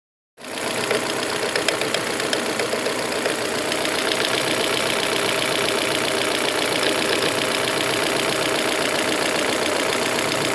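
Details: 2001 Volvo V40 1.8 bi-fuel petrol engine at steady idle with a sharp, fairly regular ticking of about four clicks a second that comes and goes intermittently. Timing belt already replaced, oil and filter changed, no warning lights.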